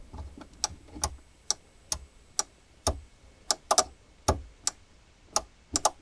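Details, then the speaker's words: Jaguar S-Type V8 with replacement engine, ignition on, failing first start: sharp crisp fuel pump relay clicks, no buzzing; relay works but pump not running, pump under rear seat suspected. "So the relay itself is working. I have ignition on at the moment. The pump is not."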